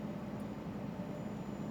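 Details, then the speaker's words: Scania R400 Streamline truck diesel cruising at about 1,200–1,300 rpm and 90 km/h, heard from the cab: a steady drone with a faint, constant high whistle riding over it from the turbocharger. Turbocharger whine. "Vocês imaginem esse barulho o dia inteiro, o dia inteirinho esse barulho na sua cabeça, né?"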